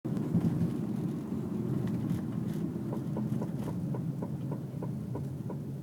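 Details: 2002 Toyota RAV4 with new rear drum brake shoes and drums; light regular knock about three a second over low road rumble while rolling, suspected from rear drum brake, cause unconfirmed.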